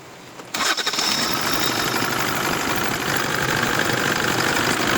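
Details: Kia Bongo 3 diesel after replacing four worn, uncalibrated injectors that caused hard starting: short crank, then catches and settles into an even, busy clatter; starts easily now.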